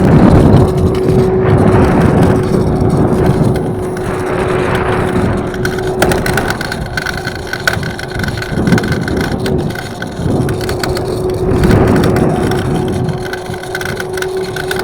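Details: Evercross H5 electric scooter, about a week old, riding: steady mid-pitched hum with rough, gritty grinding from the front wheel under road and wind noise; suspected bad front bearings.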